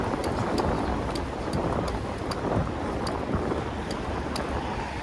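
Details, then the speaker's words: Carraro Sportive 225 24-speed bicycle while pedalling: crisp, light ticks about every third of a second from the chain under heavy wind noise. Chain ticking, cause unknown. "vallah zincirden ses geliyor. Ha tıkır tıkır tıkır tıkır."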